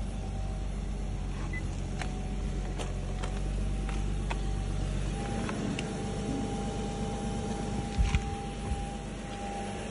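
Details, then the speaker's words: Nissan Skyline HNV37 with the VQ35HR V6, engine test: smooth, even idle that lifts cleanly when revved about five seconds in, with no knocks, ticks or rattles. Normal idle and revving. "Работает ровно, без посторонних шумов."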